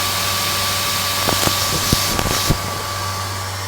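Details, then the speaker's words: Dell GX280 desktop before repair, with too little pressure on the left side of the processor cooler: starts quiet, then a loud steady fan roar with whine and clicks, no POST on screen. Fan running at full speed, no POST. "this thing seems to be quiet although you don't get a post on the screen at all and the fan gradually gets louder"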